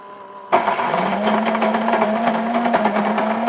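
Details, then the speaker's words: Breville Grind and Brew coffee maker, strength set to five, grinding before preheating. Abrupt start, then an even gritty crunch over a steady low hum, not very loud, no labouring or catching; normal burr grinder operation. "so it's not super loud [Music] but it's definitely grinding the coffee we can hear it grinding the coffee"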